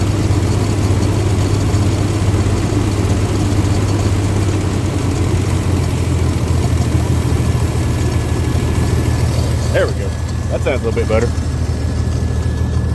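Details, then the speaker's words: 1962 Dodge M37 petrol engine, first run after sitting 45 years, on temporary fuel supply: steady low, even rumble, idle lowered a touch and smoother, no knocks or misses; normal idle. "Pretty quiet. Not bad at all. See if we can idle it down just a little bit more."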